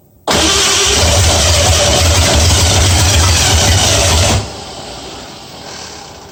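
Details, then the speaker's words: 1965 Mustang first start after fitting new headers, moving on from the 2bbl: barks to life loud and ragged, roars unevenly about four seconds, then drops off; owner unsure of timing, suspects firing order too. "well i'll just say i got something wrong no idea how close my timing is i might have my firing order messed up too"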